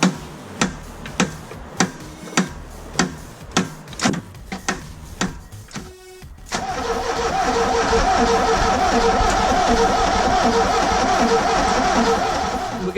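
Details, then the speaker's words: Ford Escort RS Turbo revived after years of sitting, spark confirmed and fuel line redone: steady cranking about 100 strokes a minute with no firing, then a loud blower; fuel pump can't be heard priming, no fuel delivered, crank no start. "we know we've got spark we know the engine's turning we've been testing the fuel pump we can't hear it we can't hear no fuel or anything going through"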